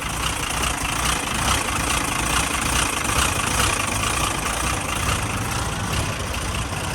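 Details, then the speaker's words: Ford Falcon engine, which the owner says is sounding very terrible, at startup: a lumpy, uneven idle with a harsh, clattery chuff and an unsteady tractor-like beat; rough idle, cause not yet found. "see as you can as you can clearly see and hear things sounds like a tractor"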